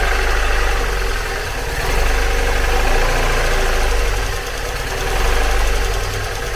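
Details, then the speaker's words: 2002 NB MX-5 Miata 1.8, fitted with a new cam sensor, idles lumpy and loping on only two cylinders; unplugging the front coil makes no difference and that coil reads about 100°. Misfire on two cylinders. "got it running uh started first time and was running but only on two cylinders"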